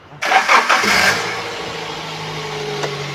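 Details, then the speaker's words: 2014 Daihatsu Gran Max 1.5 pickup, clean dry engine with older oil: quick crank and catch, brief flare, then a smooth, even idle with no knocks or ticks; normal idle, also normal at high rpm. "Ah ini suara mesin stasioner suaranya normal khasnya dari Grand Max suaranya seperti ini kalau saya rasa sih masih cukup halus suaranya"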